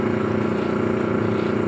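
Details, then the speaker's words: Automatic gate motor with oversized 15 µF run capacitor, slightly above motor rating: auxiliary winding voltage rises to 308 V versus 213 V on main winding; loud, rough hum with fast throbbing flutter; prolonged overvoltage caused smoke from the motor. "E aí o botão essa grande diferença mesmo que eu coloquei no capacitor um pouco acima da capacidade do motor Atenção se eleva muito na bobina auxiliar"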